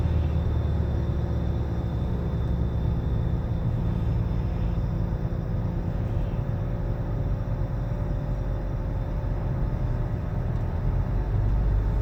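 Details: 2013 Nissan Altima cruising: deep, steady droning hum under road noise whose pitch changes with speed; at first told it was not a wheel bearing, but months later it was confirmed to be a worn wheel bearing.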